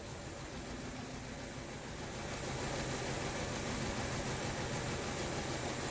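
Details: 2012 Chevrolet Cruze with flashing check engine light and traction control light on, rough uneven idle with a stumble; scan data shows cylinder 2 misfiring, its coil not firing.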